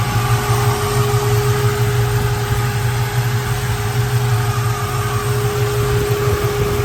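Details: 1967 Ford Mustang Fastback at idle: a deep, steady V8 lope with an even beat and a light whirring on top; normal, healthy idle.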